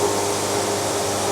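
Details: Bandsaw sawmill cutting a board at very slow feed, about 5 bars: steady rushing roar with faint thin ringing tone, flat through the cut; band resonance from too-slow feed, wavy, nearly ruined board.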